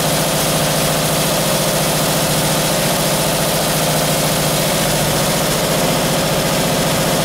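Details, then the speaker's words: Fresh-built 1978 Camaro 350 V8 warmed to about 190 degrees, exhaust installed: steady run with a fast, light clatter over the exhaust note; valve lifters rattling, needing to be reset. "with the exhaust on there i can hear the lifters rattling so now i can go and uh go through and reset those"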